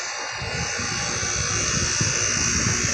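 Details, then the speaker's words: Carrier 38CKB/38CKC condenser in cool mode, rusted: loud, steady fan roar with a harsh high buzz and no rhythm change. It drowns out the compressor sound. The owner thinks the unit might fail soon. "Yeah, this thing might go soon. I mean, look at Listen to how loud it is. It's buzzing."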